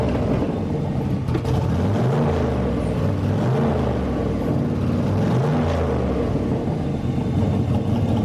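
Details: Turbo V8 street truck on E85 after turbo rebuild, with restrictor fitted; deep even idle with smooth rev rises and falls, turbo spins easily with no rubbing or scraping: normal idle and revving.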